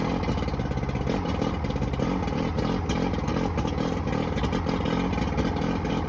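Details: Johnson 90hp outboard: rough, lumpy running with uneven stumbles; two starboard cylinders misfire, no response to starter fluid sprayed in them, most likely a bad power pack (suspected).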